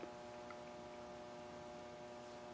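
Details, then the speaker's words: Fluorescent shop lights with noisy ballasts giving a steady low electrical buzz with a few clear tones under faint room hiss; owner suspected they disturbed a TP-Link AV1000 powerline link, though turning things off changed little. "I think I've actually got a couple of them in here humming pretty bad."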